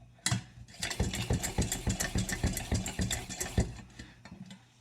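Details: September 1949 Coleman 242c gasoline/white-gas lantern, just rebuilt and probably unlit for about 15 years, lit with the generator not yet hot: uneven, ragged chuffing pulses about three or four a second that stumble and fade, as the cold generator starves the burner.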